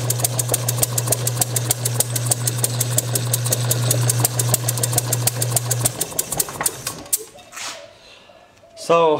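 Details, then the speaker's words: Bessemer model engine motored by an electric motor, with timing just before TDC, pops on nearly every stroke, then stops once no longer driven; it fires but won't run alone. Owner suspects too little fuel/air mixture (5/32" bore plumbing) or compression leakage. "I think there's probably one of two things going on either I'm not getting enough air fuel mixture into the cylinder"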